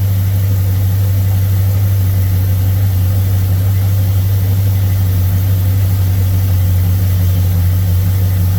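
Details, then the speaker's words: Ford Thunderbird with a Motorcraft 2150 carb that was flooding and hard starting when hot, after a float adjustment: it fires right up into a smooth, steady V8 idle with no hunting or stumbling. "Man, that's how it should go."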